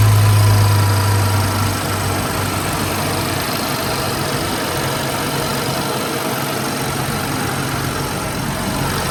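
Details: BMW 335i (N55) idling steadily after oil filter housing replacement and coolant bleed with new belt tensioner; smooth, even petrol idle with low hum, no knocks or misses, injectors loud with cover off; tensioner shows slight vibration; normal idle.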